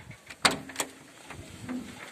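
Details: A couple of firm single clunks from the swing-out rear doors after fixing their play with a pin, washers and plastic pads; no loose after-rattle, and the doors now shut solid and quiet.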